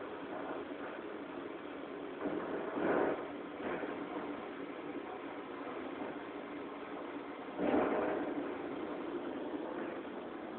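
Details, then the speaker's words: M-Audio Conectiv soundcard output with nothing connected except the 9 V AC adapter: low rumbling, crackly hiss swelling in slow thunder-like waves, pointing to power-supply hum noise; owner unsure whether the card is faulty. "This is the sound we are listening to. Almost like thunder, and there is absolutely nothing connected to it but a 9-volt power plug-in."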